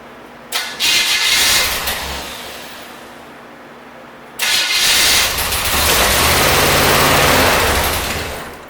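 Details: 1972 Corvette V8, first start in the car after a decade abandoned: cranks and catches twice, revs briefly with popping, then dies within seconds; popping possibly an exhaust leak at poorly sealed headers or a crossed wire, cause unconfirmed.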